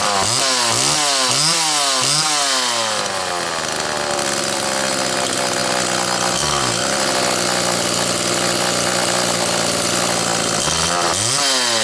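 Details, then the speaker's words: Homelite XL two-stroke chainsaw after the Zama C2S-H5A carburetor inlet needle spring fix: revved a few times, it settles into a steady, slightly rich, burbling idle that loads up a little on extended idling but holds evenly; acceptable, and the spring was judged the cause. "okay he's loading up a tiny bit at idle an extended idle but not bad I'm comfortable that that spring was our issue"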